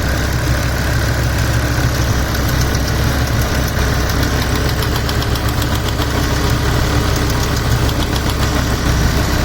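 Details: 2007 BMW M6 manual, S85 V10, warm idle after sitting months on old oil, oil since changed: fast light metallic tick about three per second, barely heard cold, very apparent warm; engine ticking, source unknown.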